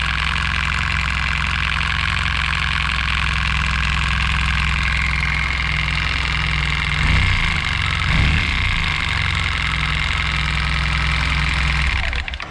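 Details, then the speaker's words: Suzuki Burgman 650, 39,000 km shown but real mileage far higher, running after the C51 error was traced to a faulty sensor; it smells strange. A busy metallic clatter rides over the steady idle from a worn timing chain and tensioner. "But it’s Okay but the timing is clearly dead at least the tensioner and the chain needs to be looked"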